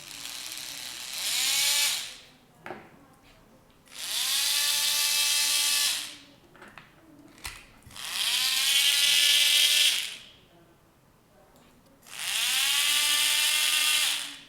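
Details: Small geared DC motor driven by L298N driver from Arduino: four short runs of high gear whine spinning up fast to steady pitch before cutting off; normal running.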